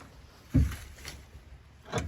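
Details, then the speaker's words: 1970 Ski-Doo Olympic snowmobile, restored over three years with carburetor rebuilt eight times, fails to restart: two short recoil pulls with a brief rasp and no firing. Plug later removed, spark good, blown off, then fired right up. "That's what I was afraid of. Well, too bad. I guess it's just one of those sleds you don't shut off."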